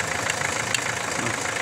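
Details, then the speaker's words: Renault 1.5 dCi diesel at idle: rapid sharp ticking that sounds like an internal knock, but it is compression leaking past an injector seat, confirmed when water poured on the injector quiets it. "الصوت هذايا هو تنفيذ في الانجكتور يعمل تنفيس هذ"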